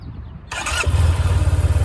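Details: Yamaha TMax 500 scooter cold start: brief starter whirr, catches within a second and settles to steady even idle; normal healthy start.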